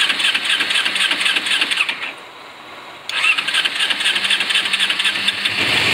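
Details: 2007 Kawasaki Ninja 250 with 2,700 miles, long stored, jump-started, old gas replaced with fresh: ragged, uneven twin putter. Nearly dies about two seconds in, then picks back up while the idle speed is being adjusted; rough idle.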